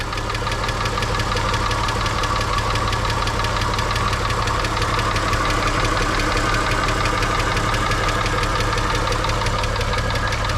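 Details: VR6 VW Beetle at idle during a Liqui Moly engine flush with hydraulic lifter additive, timing chains recently replaced; fast, light ticking that keeps pace with engine speed, owner suspects hydraulic lifters.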